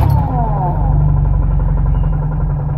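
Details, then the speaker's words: Car idling with clutch pedal released: a steady low rumble with a faint rattle, like engine knock, that disappears when the clutch pedal is pressed and returns when released; worn clutch release bearing. "eu vou apertar o pedal da embreagem ó bairro sumiu não tem barulho vou soltar a embreagem de novo"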